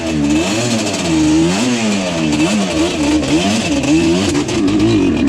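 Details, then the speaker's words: Yamaha Banshee two-stroke, slightly warm, ridden. Stumbles and sputters off idle with revs surging unevenly at low rpm and a miss, running a bit better higher up. Low compression from stuck top piston rings. "See? That's what it does in the low RPM. Now, once it gets up in the RPM a little bit, it does seem to run just a little bit better. You can hear there's like some type of miss or something going on with this thing."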